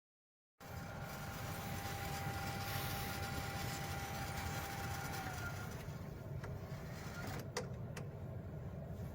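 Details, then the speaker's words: Mercedes W205 C200, M274 engine at idle: steady mid-pitched hum that comes and goes for about five seconds; a valve on the right-side hose from the intake air cleaner to the turbo inlet is vibrating. "音が出たり消えたりしてますここの音が振動してるバルブが付いてるホースはそのまま右側のこのホースですがインテークのエアークリーナーからタービンにこのタービンに入るところに繋がっているホースです"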